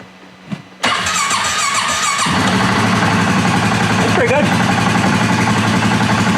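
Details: 2018 Polaris Sportsman ACE 570 after rebuild following mud ingestion, 351 on the clock, first start before warm-up: starter whirr, then the single fires and settles into an even, regular idle with no knocking or ticking; healthy start-up.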